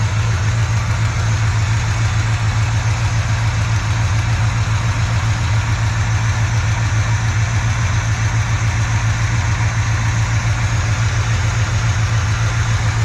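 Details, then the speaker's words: Chevrolet C20 squarebody V8, restarted after sitting for years and given an oil change, at about 140° while warming: smooth, even idle on all eight cylinders with no misses or ticks, much quieter than with the old oil, though still smoking. "still smoking a good bit but it is running and i believe it's all eight sounds nice and smooth way quieter than it was with the old oil so that's nice it's an improvement"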